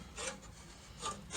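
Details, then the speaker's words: Gardena 380 C push reel mower after backlapping and Fluid Film on the blades, paper test: three short crisp snips, clean even cuts without tearing or dragging; reel sharp, setting a hair tight. "go back to our paper test get a nice clip nice clip it's nice flip super-clean clips"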